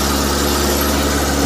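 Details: Suzuki Futura T120SS carburetor engine that dies when idle rpm is lowered: a steady idle with a slightly coarse, uneven intake hiss; the idle circuit seems to be running a little lean, and the pulser is set too far from the distributor shaft.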